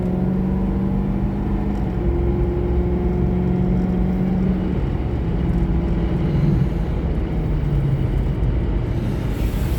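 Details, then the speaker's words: 2011 Ford Crown Victoria Police Interceptor, 108k miles, V8, road drive; deep even rumble pulling steadily up through revs under load, no knocks or misfires, shifts perfectly, normal acceleration. "So there you have it, man. This thing's super smooth. Engine sounds great, shifts perfectly."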